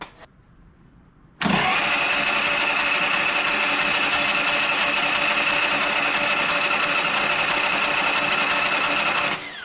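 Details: Harley motorcycle brought out of long storage, spark plugs removed: starter spins the motor steadily for about eight seconds without firing, to pump oil through before first start; normal cranking.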